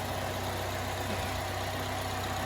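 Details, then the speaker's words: 2010 Chevrolet Malibu, freshly swapped used engine, no check engine light: steady even low idle hum with no knocks, misses or rattles; normal idle. "No check engine? Light. She sounds good. Nice and quiet. Oh yeah, she's great."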